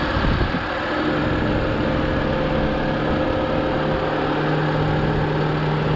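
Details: 2007 BMW 328i E90 automatic, 248,000 miles, engine bay; even, steady idle with low drone and faint hum, no stumble or knock; oil filter seeping, owner wonders about slight blow-by at the oil cap. Normal idle.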